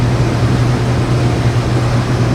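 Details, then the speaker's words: Combine corn head running sped up after greasing its gearboxes and adjusting the chains: an even, low mechanical hum with no slap, clatter or squeal from the chains; running normally. "So it looks like everything's running good. Everything sounds good."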